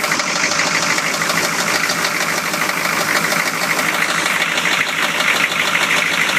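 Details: 1993 Chevy engine idling with a steady, fairly quick knock of about three beats a second: rod knock.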